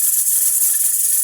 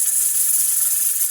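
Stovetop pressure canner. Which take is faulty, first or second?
first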